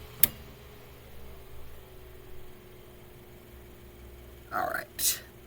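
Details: Mainstays 9-inch high velocity fan after cleaning, oiling and blade balancing, running on low; faint steady low hum, even pitch, no rattle or ticking apart from handling bumps; normal running.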